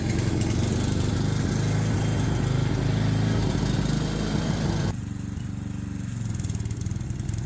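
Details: Small single-cylinder ride-on mower engine, probably overdue for an oil change and running a temporary air filter, putters steadily, dipping slightly under load but pulling cleanly; running fine.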